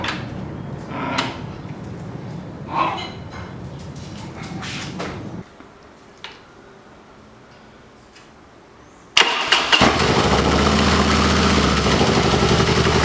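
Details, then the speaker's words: Harley-Davidson Dyna V-twin after starter repair (compensator-related starter clatter fixed, part replaced): starter cranks briefly, engine catches cleanly with no clatter into an even loping idle; three consecutive clean starts, problem resolved. "como vocês viram problema resolvido três partidas seguidas sempre com a outra peça na segunda partida sem chance problema resolvido"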